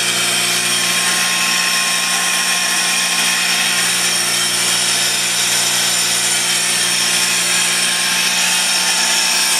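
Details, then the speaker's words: 10 HP Worthington rotary screw backup compressor running after start-up. Steady, even hiss and hum held constant, no knocks, rattles or surging; running smoothly and healthy. "This is the backup Worthington backup compressor. Same thing, I'm going to start it up. And so you can see it's running. Yeah, there it goes. Very, very"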